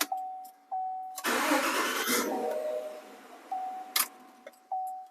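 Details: 2017 Chevrolet Silverado after starter replacement (old starter only clicked): short quick crank, then the engine catches on the first try and settles. Normal crank and start.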